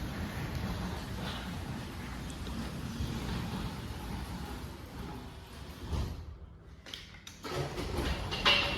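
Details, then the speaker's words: Linear LDCO801 belt-drive garage door opener on CHI 2327 flush panel door: soft even hum as door travels smoothly, no grinding, rattles or clunks, super quiet; normal quiet operation. "Super quiet operators, one of the best that you can get. Belt drive."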